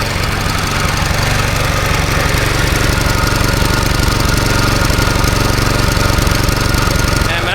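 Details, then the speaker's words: Troublesome farm machine engine started after cleaning spark plug contacts and warming plug and cylinder with a blow torch; lumpy, spotty firing with uneven gaps and stumbles, misfiring rough running, owner suspects not fuel-related, possibly out of timing. "and it does head to get you up running even when it's running there it's very spoty can you hear"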